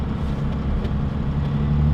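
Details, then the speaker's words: 12V Cummins diesel after Stage 2 cylinder head swap with upgraded valve springs, before test drive: deep steady idle, even unbroken rumble, no misses or knocks, no smoke; owner says it sounds happier than ever. "It just sounds so good. The engine just sounds so happy."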